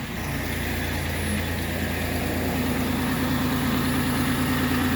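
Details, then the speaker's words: Engine idling on its first start right after a battery was installed, quickly learning to idle, during an alternator output test with a multimeter: smooth steady low rumble, no ticks, misses or whine; normal idle. "this is a first start too i just put the battery in and so that was pretty good that it actually learned how to idle that quick"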